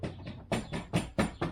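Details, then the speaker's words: 2014 Land Rover Freelander 2 (LR2) SD4 tailgate: a quick metallic jingle in about five bursts, like a bag of spanners, heard over certain surfaces and on opening the boot; owner suspects the locking mechanism or the rear wiper linkage. "and it genuinely sounds like a b bag of spanners so that's the noise that I get and now and again it's either the locking mechanism which you can make sound rattly by pressing the button or it's some sort of linkage on the back of the wiper"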